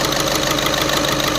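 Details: VW Vento idling with check-engine light on and heater light blinking: uneven tick and a stumble every few beats over the engine hum, a slight misfire traced to a faulty fuel injector, which was replaced.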